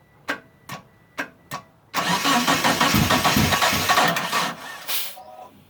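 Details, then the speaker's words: Mitsubishi Eclipse that sat about 8.5 years, fuel pump reconnected and priming, spark, fuel and timing confirmed: four sharp clicks, then about three seconds of cranking that fades without catching. Crank, no start; the owner suspects the crankshaft position sensor and a weak, long-sitting battery. "hook up the battery charger because it sounds like the battery's dying out on me yeah the battery's been sitting for a while"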